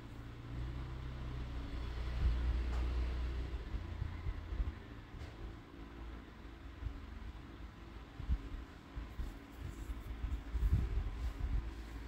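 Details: Chevrolet Vivant CDX 2008 automatic after a full engine and gearbox overhaul with new bearings, on a road test up to 80: a low, smooth engine hum rising and easing through the shifts with no knocks or slipping flare; healthy.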